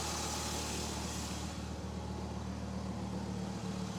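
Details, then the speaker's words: 1993 Dodge Viper RT/10 V10 at idle after a cold start, car sat several hours, manifolds cold; close up on the driver's side: smooth, steady idle with only an even intake rush, no ticks, knocks or mechanical noises. "getting up close you can hear there are no mechanical noises or other issues just that the air going in is the only sound you really hear this is the driver's side"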